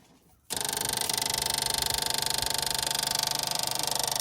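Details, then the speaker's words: 1974 MGB parked 30 years: fuel pump makes fast even electric ticking, three or four clicks a second, but moves no fuel; gravity feed tried next. Fuel pump clicking, no delivery. "Fel weird that it's making all that noise but not actually let's try gravity see if gravity has any effect on it"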